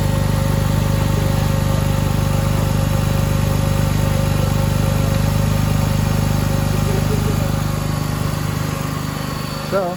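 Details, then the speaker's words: BMW E46 330xi after valve cover gasket and spark plug replacement, earlier misfire traced to a bad coil: steady even six-cylinder idle with smooth regular beat, no skips; normal idle, no misfire. "now we are going to start it see how she runs make sure there's no misfires or anything like that make sure there's no major oil leaks sounds like it's running really good no misfiring at all"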